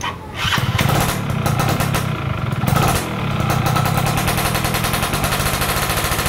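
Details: Stock F1ZR two-stroke during a wet carburetor tune: it crackles and blips up quickly from low revs with some popping, picking up cleanly; normal revving.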